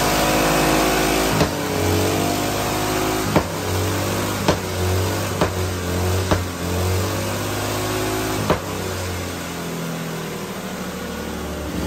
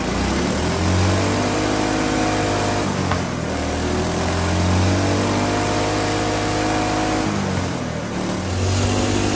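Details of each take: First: Small hydrogen-fuelled engine with its usual water injection swapped for methanol: on the methanol-hydrogen mix it holds a fairly even note with a few sharp pops and a brief dip. It runs better than on petrol-hydrogen, needing more hydrogen and an idle tweak. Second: Small single-cylinder spark-ignition hydrogen engine with diesel replacing the water injection, at full throttle and full RPM with hydrogen turned almost off: rough uneven pounding and heavy shaking, vibrating like mad with a lot of knock, smoking, but still running.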